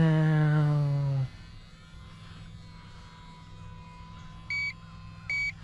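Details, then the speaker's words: Replacement Horizon Hobby Sport Cub S 2 RC plane after full-throttle flying: motor tone sags and pulses back, then short evenly spaced high beeps about every second, a low-battery warning signalling it is time to land. "hier pulsiert es, ganz klar, nicht wahr? Keine Panik Keine Panik, lass uns landen, heißt es, wenn du hörst, wie der Motor deine Batterie pulsiert, sieh dir das an."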